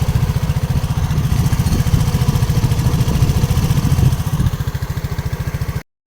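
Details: RUSI RFi 175 motorcycle: fast, steady, loud low thumping about 3.5 per second over the idle, an engine knock of unclear cause.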